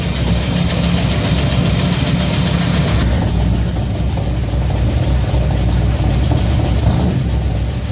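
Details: Shop truck idles smoothly with no misfire or ticking after a fuel system overhaul (fuel pump, regulator, filters, intake gasket, carb spacer), fuel pressure set to 3.5 psi; no gas or water leaks, and it runs pretty good.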